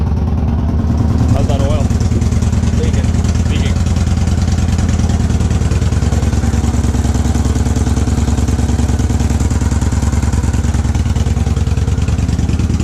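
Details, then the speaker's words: 2014 Victory Cross Country Tour salvage bike, first start, staccato mufflers, small oil leak at oil cooler fittings: loud, even V-twin thump about three beats a second, no misses or knocks; normal idle. "there you go sounds okay the selvedge not Salvage bike runs and it sounds really good"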